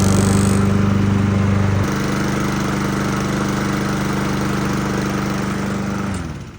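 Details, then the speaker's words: Free Lawn-Boy single-cylinder push mower, said not to run, after carburetor cleaning, draining old gas and fixing the pull cord: putters along at a steady, even beat, then winds down as it shuts off. Runs clean, normal running. "That's awesome. So, that was pretty easy fix."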